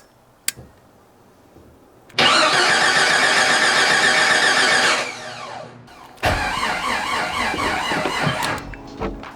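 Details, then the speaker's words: Freshly rebuilt Jeep 4.6L stroker on first start attempt, battery jumper attached: long cranking bursts with scattered pops that never catch; owner suspects ignition timing set on exhaust stroke instead of compression, 180 degrees out. "am just gonna double check that I'm top dead center on compression and not top dead center on exhaust I thought I had it right but I'm gonna double check maybe what I thought was the compression stroke was actually exhaust"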